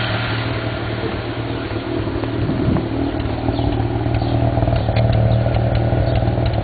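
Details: 1991 Mazda RX-7 S5 NA street port, headers, possibly Racing Beat cat-back: lumpy, uneven idle with sharp irregular exhaust pops and crackles from afterburn; owner doesn't think it's a vacuum leak, cause unknown.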